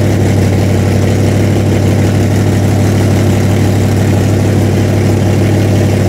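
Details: Freshly built 406 small-block Chevy V8 in an S10, first run during break-in: deep, steady idle with an even lope and no ticking or knocking; normal idle.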